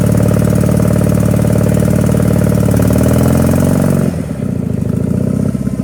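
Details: Power King 2417 economy lawn tractor after new starter, fuel filter and carburetor cleaning: strong even V-twin drone under load easing to a lighter idle partway through; runs clean and steady, normal running.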